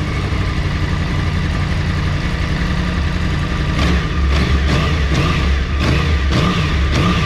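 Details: Yamaha R1 after refit with new generic K&N filter, running: steady even engine with quick throttle blips, no ticking or rattle on top; healthy.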